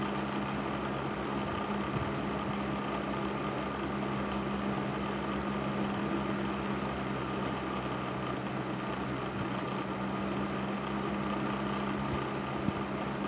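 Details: Patton 12" box fan, later model with black Fasco motor, after servicing, started on low speed; constant even hum with faint light rattle, less than before; normal running.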